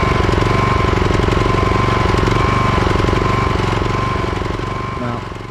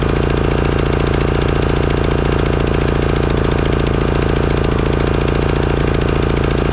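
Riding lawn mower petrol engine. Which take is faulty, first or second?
first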